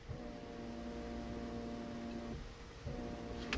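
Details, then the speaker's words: 1995 Mercedes-Benz W202 C280, ignition on, OFF button pressed: climate-control vacuum pump hum keeps running, drops briefly, restarts; it cannot hold vacuum because the fresh-air/recirculation flap vacuum element diaphragm is torn, requiring element replacement. "And in this position, it probably has a leak, and that's why my pump is cycling."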